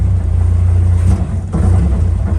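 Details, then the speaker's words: Old Lada Niva that has been sitting, started with the air filter off after fuel was added to the carburetor: low, lumpy idle that sags and nearly dies. Any throttle cuts it out; owner says the carb needs cleaning. Stalls on throttle. "Carb definitely needs cleaned. Step on the fuel at all, it pretty much cuts right out."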